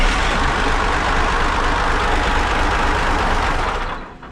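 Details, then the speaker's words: CAT 3412 twin-turbo diesel, spare engine from a 992D wheel loader, test run: fires up right away into a deep even rumble, no misfire or knock, winding down smoothly at shutoff at the end of the fuel pump. "okay so it shuts off at the very end of the fuel pump that's kind of weird it fired up right away"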